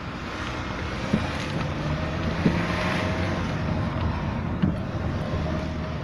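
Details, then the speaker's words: While driving, three sharp, irregular clunks come through steady road noise from the front left suspension. Owner suspected the sway bar link, then suspects the shock strut top nut has come loose. "Что-то у меня застучало в ходовке. Слышите стуки? Значит, подозрения были на линьку."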